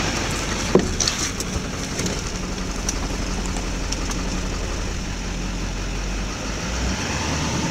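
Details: 2004.5 Duramax LLY diesel truck: uneven, lumpy low idle beat under steady clatter, smoothing once a little throttle is added, as owner says it levels out and idles fine; rough idle, cause not confirmed.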